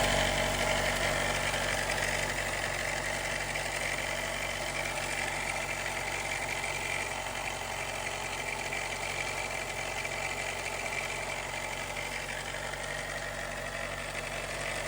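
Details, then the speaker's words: 2018 Jeep Wrangler JL, 2.0L turbo, cold start idle: light uneven metallic chatter lasting about a minute to a minute and a half, sometimes while driving; timing chain rattle from failing tensioner, a common fault from around 45k miles. "And I was running into an issue that a lot of people seem to complain about, which is a timing chain rattle. It happens on cold startup."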